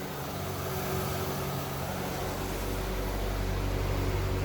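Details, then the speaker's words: 1998 C5 Corvette after removing the Sac City Coolit V2 fan controller and adding a high-speed fan: both radiator fans run at full speed with an even steady whoosh, no rattle; temperature stays around 194–196 versus 235 before. "as you can hear [Music] both fans are running so i'm pretty sure that was my problem"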